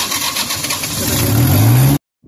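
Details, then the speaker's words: New Holland skid steer loader with intermittent starting, rear cover removed: short two-second burst of rough cranking, rising slightly, then cut dead; power reaches the starter coil but the starter motor is malfunctioning, later repaired at the solenoid and bearing. "the power is coming to this uh starter motor coil but it's malfunctioning okay the starter motor is a malfunctioning"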